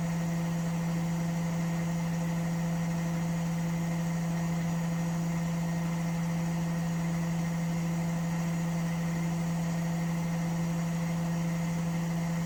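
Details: Washing machine spin with a steady, even hum and no knocking, banging or rattle; running smoothly and quietly. Its noise problem was traced to the chassis flexing and cracking at the shock absorber mounts.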